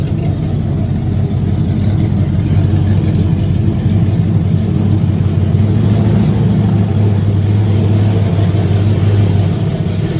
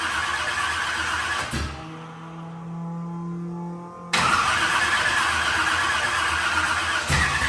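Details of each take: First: Burnout truck's carbureted small-block V8 idling in the shop before upgrades for a burnout competition, recorded as the "before" sound: loud, deep, steady lumpy rumble with no knocks or ticks; normal idle. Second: Carbureted burnout truck being rebuilt for a competition, with timing possibly still slightly off. It cranks, catches and sputters into an uneven, lumpy run, starving for fuel. The owners conclude it is a carburetor fuel delivery issue, with fuel not spraying from the front of the carburetor.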